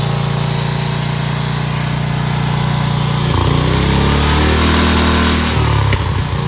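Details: Dayton 11 hp Hauler lawn tractor at lowest idle after adjusting carburetor bowl fuel mixture screw, which had been out too far causing stalling: steady low single-cylinder thump, revs briefly rise and settle smoothly; normal idle.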